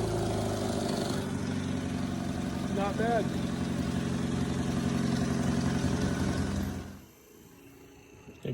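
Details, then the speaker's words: 1962 MG Midget MK1 that sat under a tree, started after the stuck throttle linkage was loosened: a steady, even idle with a firm regular beat for several seconds, then shut off. It runs normally. "So I decided to loosen that up and fire it up. And lo and behold, it runs."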